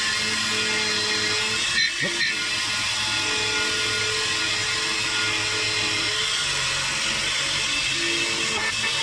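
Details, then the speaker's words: DIY key cutting machine while cutting: high, steady whining and chirping over the motor; owner thinks the drive belt slipped and stretched because parts weren't tightened down, not confirmed. "make sure everything's tightened down because that's what happened to the belt it slipped and uh that's why it's making that noise because i think the belt's stretched"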